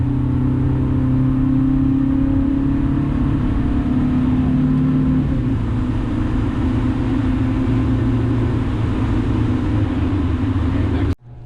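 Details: 2000 Honda Civic with eBay header, test pipe replacing the catalytic converter, OE piping, resonator and muffler, before added resonator; accelerating normally then hard, coarse raspy buzz above about 2,800 rpm.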